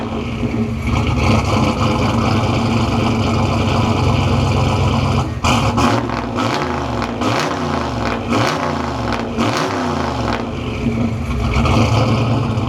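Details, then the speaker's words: Turbo Foxbody Mustang, microphone at the exhaust, after rewiring the starter solenoid trigger through a relay to stop it blowing the 10 amp fuse: even steady idle, then sharp clean throttle blips, no misfire; running healthy. "I'm going to put my microphone at the back here so you can get a full on exhaust clip."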